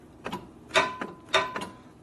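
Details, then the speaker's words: 1965 Harley-Davidson 74ci Panhead FL/FLH: two sharp metallic clacks, each trailed by a lighter tick. The clutch lever bottoms on its bracket from too much free play and needs readjusting. "The lever's got too much free play in it, so it's hitting the bottom of the bracket right here."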